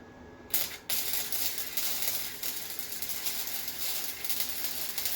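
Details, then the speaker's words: Harbor Freight Titanium Flux 125 flux-core welder, new, first bead on scrap with wire feed turned down slightly: loud, harsh, steady crackle and hiss; heat running a little high, blew through the metal. "It's running a little high. I blew through on that one."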